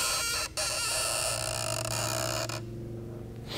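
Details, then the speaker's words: 2006 Dodge Charger Daytona: short high squeaky chirps as the fuel level sender float arm moves, with faint hum; sender on the fuel pump assembly suspected of sticking and not floating, then jumping back up. "believe this one was getting stuck and not floating and all of a sudden it would jump back up"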